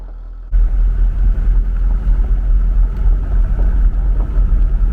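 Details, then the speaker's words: Mercedes 240D diesel driving after fuel injector repair and valve lash adjustment, previously clanking and smoking heavily: even low rumble pulling away, no clatter or knocking over road noise; runs better than ever, normal running. "this is incredible it's runs so nicely I hasn't run this nice ever this is great"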